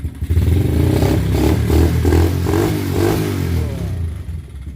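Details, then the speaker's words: Yamaha Jupiter Z engine in a four-wheel build, custom header and R9 exhaust, kick-started since the starter isn't working yet; crisp single-cylinder bark rising and falling cleanly with throttle blips, very responsive, healthy. "Mesinnya sangat responsif."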